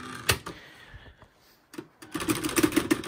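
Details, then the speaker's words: Used typewriter fast-repeat spacebar test, checked when buying: quick even rattle of clicks, roughly seven a second, carriage stepping one space at a time rather than jumping like tab; fast repeat working properly. "스페이스바를 연타를 아주 빠르게 하는 거랑 똑같은 개념으로 진행합니다. 그래서 각각마다 쭉 가지가 않고 따다다다다닥 하는 소리가 나듯이 이거를 연속으로 계속 반복시켜주는 역할을 하는 거거든요."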